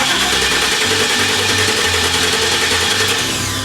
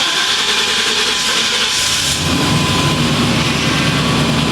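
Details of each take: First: 1997 GMC Sierra 3500 that sat with chewed wiring; starter cranks steadily about three turns a second but never catches; cause found to be a dead fuel pump, later replaced; crank no start from failed fuel pump. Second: 1997 GMC Sierra 3500 starting after a rushing hiss, catching in about two seconds and settling into a steady, even run with no misses, after a dead fuel pump was replaced; the no-start is fixed.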